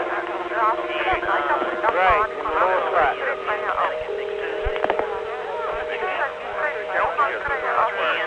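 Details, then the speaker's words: 1976-1981 analog phone network tape: called party's voice heard as one among a crowd of overlapping distant voices and tones; crosstalk, possibly from a failed channel unit (digital-analog interface), cause unconfirmed. "you call somebody and their voice is there and they can hear you really well but you hear them as just one in a crowd"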